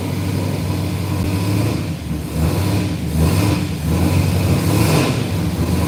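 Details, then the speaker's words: 1967 Camaro V8 after repair of earlier rod-knock-like banging noise: deep burble rising and falling smoothly through blips, no knock or rattle; normal start and rev. "go running C right up hear any noises whatsoever and it sounds like a run Str all right I think we got the camarra running and driving"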